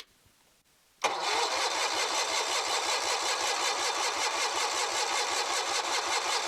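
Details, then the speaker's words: Kohler 23 HP big-block engine cranking after being sprayed and with the choke confirmed moving. Steady starter churn with even compression beats, a couple per second, but it never fires; good compression, plugs to be replaced. "Doesn't look like she's going to do anything. Alright, so we'll get this plug pulled here. Now it does sound like she has pretty darn good compression, so."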